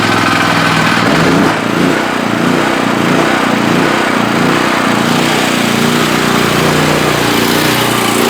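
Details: Generac GP5500 generator, once locked up by a fault in the cylinder head/valves, now repaired and tested for making power: steady governed-speed drone with an even, busy sound, no knocking, holding load without surging; runs normally.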